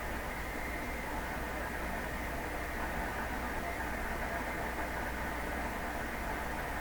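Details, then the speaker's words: Nordmende 3004C tube radio tuning AM on its loop antenna. Only steady static is heard and stations fade as tuning continues, with a possible faint voice near 680 at full volume and high shop noise. "It's getting weaker as we go. You know, this is a mystery to me."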